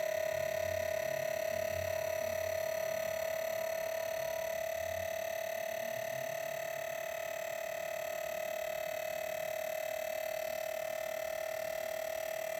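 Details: New Wanbo T2 Max, faulty on arrival; constant, piercing whine near 650 Hz with fainter higher tones at an even, abnormally loud level; cause not identified.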